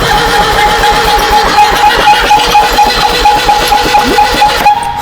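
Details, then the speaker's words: 1965 Datsun 320 pickup parked for 40 years, hooked up negative ground and cranking: it turns over well, but a steady, high, dry whistling squeal rides over the cranking. The crew suspects it is dried up and just needs lube; the source is not confirmed. "What's that sound? The fan and everything, it's spinning and turning over. I know that, but like those squealing, like somebody's Humming and whistling. somebody's on fire sound."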